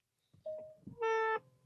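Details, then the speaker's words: 2022 Genesis GV80, power seat moving up between memory settings: two sharp squeaks, the second loud, reedy and sustained; lubricating joints didn't last, so the seat base is being replaced. "and as you can hear that that's squeaking there's a loud noise there"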